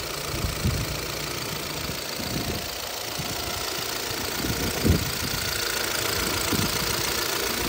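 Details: 2012 Chevrolet Cruze LTZ, 229,000 km: irregular light knocks over a steady idle, sharpening when the throttle is blipped; a replacement cylinder head did not cure it; engine to be opened, source not pinned down.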